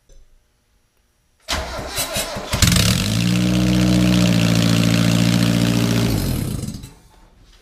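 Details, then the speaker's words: Mazda Miata 1.8 after swap to new block and rotating assembly following a destroyed bearing, first start, exhaust manifold gasket missing: brief cranking, catches at once, runs smoothly and evenly a few seconds before shutoff; healthy start. "you go we're good you got a running car"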